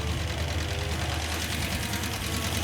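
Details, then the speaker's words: Hemi V8 in a Gremlin, running hot, idling with valve covers being listened to: fast, sharp, loud valve train ticking keeping pace with engine speed; suspected collapsed hydraulic roller lifter or loose rocker, not confirmed. "well the number one problem here is the valve train noise it's really loud and I think it's a hydraulic roller lifter that's collapsed"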